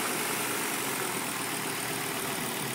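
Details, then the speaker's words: 1997 Volvo 850 GLT turbo at initial startup and idle: super quiet, steady even idle with a smooth hum, no knocking or ticking, absolutely as it should be; normal idle. "super quiet no knocking no ticking absolutely as it should be"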